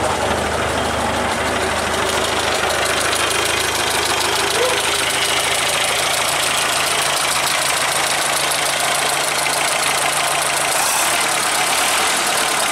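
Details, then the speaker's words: Traditional hot rod's old engine, progressively damaged and barely run for ages, run one last time before removal and replacement; loud, uneven idle with busy rattle and ragged knocking throughout; burnt valve. "what we're going to do is take it for One Last Dance I'll let you have a listen if we can pick up the uh it's the end of this engine rattling away"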